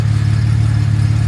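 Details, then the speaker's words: Jaguar MKII just fired up first time after reassembly, carburettors not yet tuned: deep steady burble at fast idle, slightly soft and lazy pulses, running a little rich. "And I haven't tuned the carburetors yet. But I can tell you, ooh, wow, that's a little on the rich side, boys."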